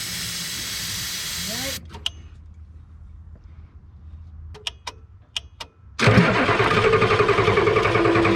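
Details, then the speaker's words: Old Ford F-Super Duty 7.3 IDI diesel, with starting fluid sprayed into the intake; steady cranking chug three to four beats a second that never catches, suspected lost fuel prime or air bubble: crank no start, fuel starvation. "so i think what happened there gang is it lost its prime in the fuel system or we ended up with an air bubble"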